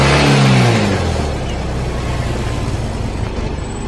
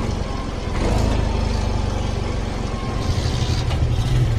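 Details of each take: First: Yamaha Mio M3 fuel-injected scooter that stalls, lacks power and won't idle, after adjusting the gas screw linked to the TPS: revs sink gradually for over a second after throttle closes, then settle into a low, slightly uneven idle; return-to-idle delay remains. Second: Yamaha Mio M3 fuel-injected scooter, previously stalling, lacking power and hard to idle, now idling steadily with an even low putter and no stumbling after setting the yellow screw to 2.5 turns and centering the TPS; faint music behind.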